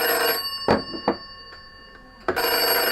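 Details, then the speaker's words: Black desk phone (extension 21) ringing when called from a GPO 741 telephone under test on a Revelation system; clear metallic bell in short even bursts with pauses. Ringer working normally. "then ringing my black phone on the desk here."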